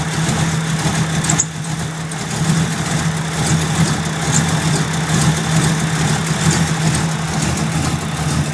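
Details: Ford Mustang SN95 at idle after timing adjustment: idle surges and dips every second or so with an uneven lumpy beat, running rough since first fire-up.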